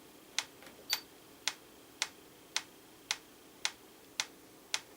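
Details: Franz FB-4 electric metronome, apparently from the 1940s–50s, AC line-frequency driven, after final calibration to 112 beats per minute (about 538 ms): crisp, even ticks with steady spacing, no double beats; running true.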